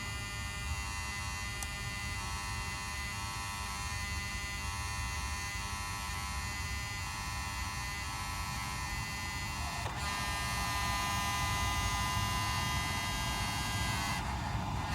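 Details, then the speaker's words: Mercedes 600SL, ignition on with engine off, after repaired E-gas module and cleaned/repaired throttle bodies: steady electric whine that changes tone as the throttles learn their positions; normal throttle body self-learning. "as you hurt there that's it so once you heard that I'm kind of changing the tone that's it they have learned their positions"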